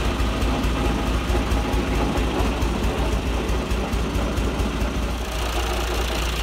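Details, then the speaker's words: John Deere 2040 tractor diesel at idle with a bad water pump bearing and a visibly wobbling shaft: a loose, uneven rattle rides on the idle beat from the water pump. "that's that water pump yeah that's the water-pump rattling"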